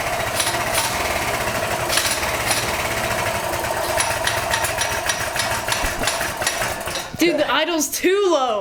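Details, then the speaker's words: Small single-cylinder engine after 22mm Mikuni carburetor install replacing stock carb: slow, lumpy idle with loud uneven pops barely holding on; idle set too low, then adjusted up. "Dude, the idle's too low."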